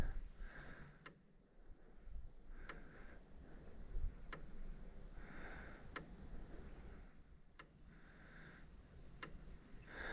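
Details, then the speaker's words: New Cyclops Master electric fence charger, just plugged in after a warm-up: sharp single ticks about every 1.6 seconds, evenly spaced; correct pulse pattern, hot blue spark at the fence. "sounds right sounds like the right pattern I hope that moo was a cow touching the fence"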